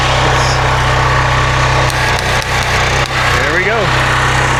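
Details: Predator 13HP 4400PSI 4.2GPM pressure washer engine, throttle turned down, air bled from system, pull-started: holds a steady even drone with no misses or surging; runs smoothly.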